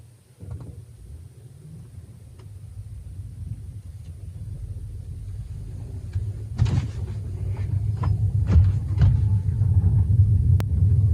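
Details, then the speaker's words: Tesla Model 3, out of warranty, driving over a driveway lip after working lube into the upper control arm joint: low rumble and soft thumps, with no suspension squeak; the known squeak is gone. "there we go no sound nothing absolutely nothing wow even going down my street it would make the sound I know it would make it but nothing that's so awesome man"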